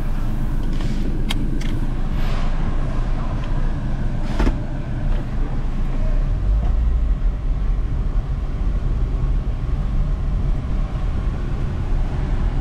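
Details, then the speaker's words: Toyota Yaris, about 2009, with a new alternator and belt, squealing on morning cold starts: engine under air-conditioning and electric power-steering load at full lock with throttle, no squeal or chirp; the belt drive sounds healthy. "so far so good no squealy noise let's do a full turn all the way over give it throttle the idea is i'm trying to put as much load on the belt as possible"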